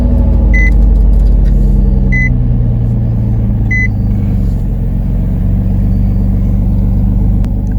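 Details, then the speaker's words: 2004 Nissan Maxima after codes were erased: steady, smooth low rumble with no misses, idle still too fast; idle speed control engine speed input range/performance and P0726 codes return, cause unclear. "i don't think the oem enhanced will do a live data on this she's still idling too high so we still have idle speed control system engine speed input circuit range performance"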